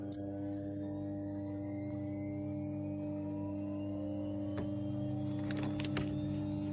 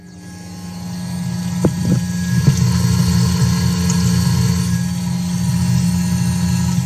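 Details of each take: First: Fuel pump PWM bench rig, two pumps at 100% duty driven through a fan speed control module, drawing 35 A at 500 kPa: steady pump drone with a faint climbing whine. Pumps underpowered; the rig can't keep up. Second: Twin fuel pumps on PWM fan control module at 100% duty, 37 amps, about 740 kPa, voltage dropping to 11.4 V: smooth even low hum holding steady, no surging; pumps running healthy, not overheating.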